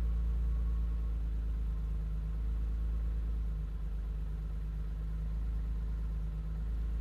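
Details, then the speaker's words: BMW E30 on MS3Pro standalone ECU, first start on generated VE table, engine cold at 95 degrees: first-try start, deep steady rumble, even beat, no misses or knocks; running fairly rich during warm-up enrichment. "Okay, that's not too bad for just using a VE table generator. Um, using some predefined values. Uh, the engine is still relatively cold here. It's, uh, 95 degrees. Cold start went well."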